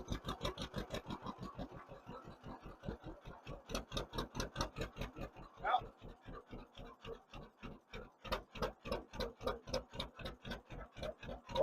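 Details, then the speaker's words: 1958 John Deere 530 with a freshly rebuilt carburetor, still warming up. Slow, even popping at about four beats a second at low idle, a little soft and thin; it improves as it warms but needs slightly more idle fuel, a slightly lean idle. "As it's warming up, it's getting better. Hear that? It needs just a little bit more idle fuel. Not much, just a very little bit."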